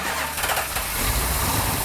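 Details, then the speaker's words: 1967 Plymouth GTX 440 Super Commando, freshly built engine, first start on a remote starter with the transmission in neutral. Fires at once and settles into a heavy, even idle with no misses or knocks; started right up, normal. "No way, no way. Can't be that easy, right? No. Wow. Wow, that started right up."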